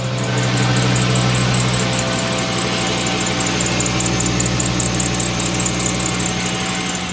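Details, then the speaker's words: 2010 VW Jetta at idle: high chirping squeal pulsing a few times a second from the serpentine belt; fixed by replacing the worn belt tensioner. "All right, so we got a 2010 Jetta making a noise with the belt. You know, it's squealing."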